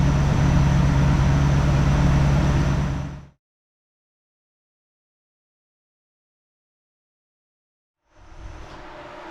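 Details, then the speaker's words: 1969 Plymouth Fury III V8, shop test reproducing a stall: idled ~15 min at 800 rpm, raised to 1,000 rpm; steady rumble, then dies abruptly about 18 minutes in. Owner concludes a fuel issue, unconfirmed. "Oh, it just stalled. It just died. 1,000 RPM after about, I don't know, 18 minutes."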